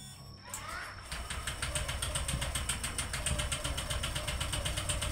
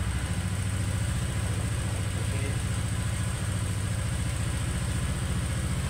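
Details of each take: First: Honda Vario 125 (old model) is hard to start with a heavy kick: starter whirs, then cranks steadily without catching until the battery drops; pickup/pulser checked fine, no compression found, suspected blown head gasket or leaking valve. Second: Honda Vario 125 old, after repair for hard starting and heavy starter (problem usually valve/packing failure): starts easily, steady even low putter at idle with no misses, ticking or knocking.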